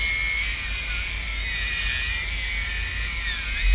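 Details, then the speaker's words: Old 3DR Iris+ quadcopter drone armed on the ground without props, all four motors on throttle. Several smooth high-pitched whines at slightly different pitches follow the throttle with no grinding or rattle: normal motor spin. "You can hear the motors all spinning different, so it's working. Good."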